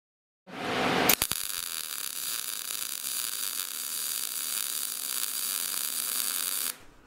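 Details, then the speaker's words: Short-circuit MIG weld with shielding gas: steady, even frying buzz after wire speed was raised from too slow, back at the earlier procedure's final setting to match voltage. "Okay, and that was better, but we still need to turn it up a bit, and now it's at the final setting from the last procedure that we used."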